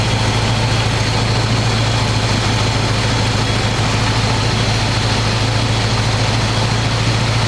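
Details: 1985 square-body 454 big block, 4-speed, sat 20 years, oil and filter changed; after adjusting idle screw that wasn't touching throttle, warm engine idles smooth: deep loud even rumble through open pipes, steady beat, no miss. Normal idle.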